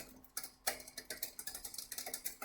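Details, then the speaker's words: Bicycle indexed rear derailleur with a slack cable, before barrel adjuster correction: rapid freewheel ticking with louder clacks as the chain tries but fails to change cogs. Mis-shifting derailleur. "so you can hear this yeah yeah it's trying to change but not quite changing"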